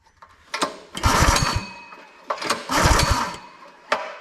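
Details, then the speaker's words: Brute 30-ton log splitter, Briggs & Stratton engine (roughly 5–6 hp), customer says won't start: two recoil pulls, short whirring cranking bursts with no firing; no spark, which returns when the kill-switch wire is wiggled, suspected short in that wire. "So this wire here that comes off of the kill switch, I wiggled that and then we ended up getting spark again."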